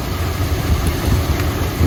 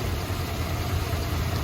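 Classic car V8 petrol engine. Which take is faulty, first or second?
second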